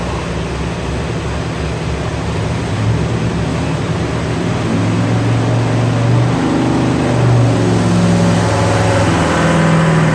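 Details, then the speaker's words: 1967 Corvette 502 big-block crate V8, freshly rebuilt by an engine builder for oil burning and an internal noise, pulling under load on the dyno: deep steady roar swelling gradually, firing evenly with no knock or clatter; healthy. "there's dad's 502 fresh back from the engine builder we actually had them dyno it"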